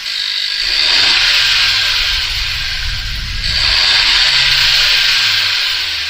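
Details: 2016-2021 10th-gen Honda Civic 1.5L turbo with freshly installed PRL cold air intake: engine revs up and settles with a loud hissing, whooshing intake rush over a smooth run, no knocks; healthy running.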